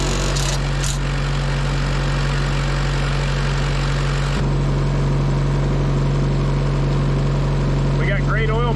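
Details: Auction-bought diesel welder that fell from a crane, idling: steady, even low drone with no knocks or slapping; runs smooth and healthy.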